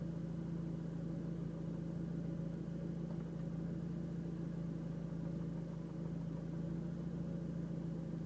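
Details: Seat Leon Cupra petrol engine idling with a steady low hum while a light ticking comes and goes, seemingly from inside the cabin; cause unknown.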